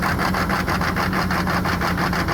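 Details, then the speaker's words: Loud, lumpy clatter pulsing about four to five times a second, loping like a big cam, at idle on a 1990s Chevrolet K3500 diesel pickup after a rough, smoky start at about 50°F; idles rough, cause unconfirmed. "also listen to how this thing idles it sounds like it has a giant cam in it and it is not supposed to sound like that"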